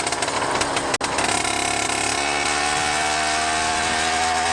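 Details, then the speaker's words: 100cc motorized bicycle two-stroke, rebuilt 49mm-bore iron-sleeve motor with custom port timing, riding while warming up: buzzes unevenly, four-stroking over bumps then smoothing out, mixture running slightly rich. "you can hear it there when I hit bumps on four stroking meaning a little extra fuel is going in yeah it's it's a little fat but not bad"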